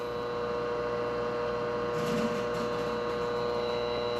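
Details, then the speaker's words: Hot-water boiler B&G circulator pump after replacing the broken coupler and motor mounts: steady, even, quiet hum with no rattle, knock or grinding; pump now running smoothly and moving water. "Listen to that pump. It's spinning so quietly now."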